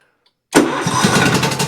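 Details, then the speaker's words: Cub Cadet XT2 mower with the MTD PowerMore fuel-injected V-twin, running extremely rough, tested with one plug lead disconnected. An uneven, lumpy beat running on one cylinder; the other cylinder does nothing, lacking spark or fuel. "it runs fine on the opposite cylinder. I was hoping I remembered which one it was."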